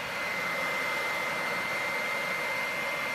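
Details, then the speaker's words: PS4 Pro fan at startup with a game loaded, before cleaning: a loud, steady rushing roar with a thin high whine that never lets up; fan far too loud, keeps running long after shutdown. "oh man it's freakin crazy I hear this even if I were to pull this out you know it's not gonna be as loud but it's still freaking loud"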